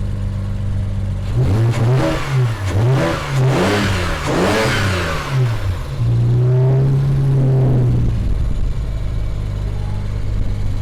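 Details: BMW 335i N54 after dual cone intake install: a few revs, then a steady, even idle with no knocks or ticks; healthy.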